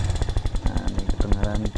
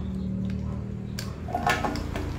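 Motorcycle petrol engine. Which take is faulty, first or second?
first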